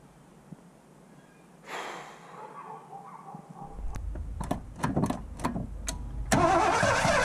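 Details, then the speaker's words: 1984 Ford LTD Crown Victoria with CFI, distributor refitted possibly off top dead center and suspected wrong firing order, fuel problem also unresolved: uneven cranking bursts, engine stumbles and spits without settling; misfire. "so if the firing order was wrong and I was trying to turn it on earlier um I'm sure some of you groaned because that's probably not good for an engine"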